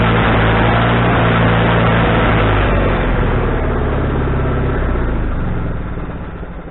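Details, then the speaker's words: Wood-Mizer LT40HD sawmill engine with a newly fitted carburetor, restarted after cooling down with the idle just set: it runs steady, then the note wavers and sags as the load comes on; surges on engagement, still needing carburetor adjustment. "all right okay first couple times that I was getting the surge when I engaged the engine and uh not bad but it's not the way I want it"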